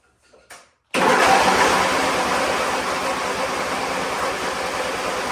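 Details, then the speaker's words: Weather-worn Wheel Horse GT-1600 WorkHorse garden tractor, Briggs engine, remote fuel tank, on choke: even rapid chugging crank that never fires; owner doubts spark, suspects fuel not flowing; cranks but won't start. "does well we ain't got nothing it don't even sound like it's sparking sound like it's trying to hit"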